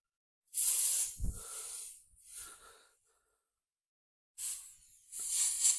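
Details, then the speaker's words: Motorcycle wheel off the ground, tyre inflated to find leak, nail also present: sharp bursts of high hissing air with quiet gaps, no motor; air escaping past the deteriorated tyre valve. "can hear that, I'm sure, so you don't need to see a super zoom in of the valve has deteriorated."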